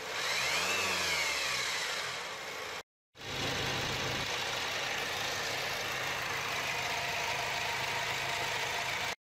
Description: Discovery sport, Ingenium balance shaft fault. replacement of the shafts require an engine removal and heaps of special tools.